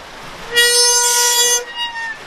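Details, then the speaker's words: 1969 Ford Capri barn find during restoration: one steady, reedy horn note held about a second, starting and stopping cleanly with good volume; horn works fine. "yep that's a good sound is good sound"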